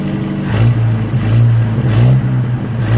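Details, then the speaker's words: 1963 Nissan Junior ute after 15 years sitting, sealant applied, throttle cable freed; low drone rising and sagging every second or so, idle hunting and temperamental but holding. "Alright, she's not idle, a bit temperamental though, and it appears to be going forward and back."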